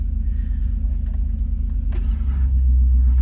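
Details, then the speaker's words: Subaru L series (Leone), manual, slow heavy cranking about three turns a second with no firing; battery too weak to spin the engine properly, no juice. "Oh, it does. It's not happy, but it cranks. It's got no juice."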